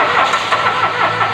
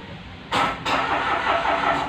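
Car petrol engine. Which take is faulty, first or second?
first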